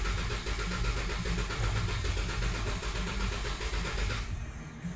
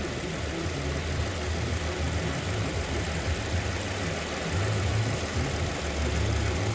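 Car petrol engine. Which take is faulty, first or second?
first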